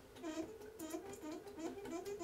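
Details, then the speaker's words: Shower-water generator turning slowly and laboriously, with a dry chirping squeak on every turn about twice a second; the bearing has seized and locked up, so the shaft appears to spin inside the bearing. "you hear that the bearing is squeaking oh maybe the bearing is seized yeah it kind of looks like we're spinning this inside of the bearing itself"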